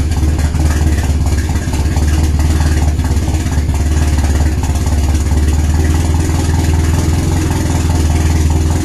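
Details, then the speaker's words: RWD turbo Nissan Micra with K10 conversion, first start after fixing a failed injector O-ring fuel leak; deep, lumpy, clattery tractor-like idle with uneven throb and silences; rough idle, cause not confirmed. "this thing sounds like a tractor those it's got those silences"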